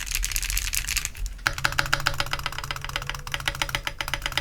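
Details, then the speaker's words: Heracles80 keyboard, PC hotswap plate, Azure Dragon V2 switches, Wuque 1.2mm stabilizers: typing with metallic buzz on space bar strokes from rattling stabilizers; owner wonders if missing PE foam contributes, plans replacing stabs. "but that space bar is definitely rattling like you can hear the metal and you can hear that it's rattling"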